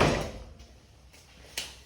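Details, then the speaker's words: Garage door about 20 years old, rebalanced by torsion spring reset, with a new Atoms DC 24-volt belt-drive opener and silent cast-nylon sealed ball-bearing rollers: one loud thump at the start, then only a soft hum and light clicks; opener runs very quietly. "so you see the machine's very quiet doesn't make any noise"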